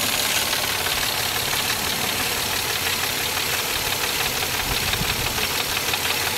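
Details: Mazda MX-6 engine at every startup: harsh, hissy rattle pulsing unevenly about 1.5 times a second over the engine; source unclear; abnormal startup noise.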